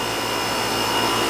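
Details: Outdoor AC condenser for the first floor, reported running but not cooling; after the initial fault it is left running to check charge: smooth constant compressor hum under steady fan rush, no clicking or stuttering; running normally.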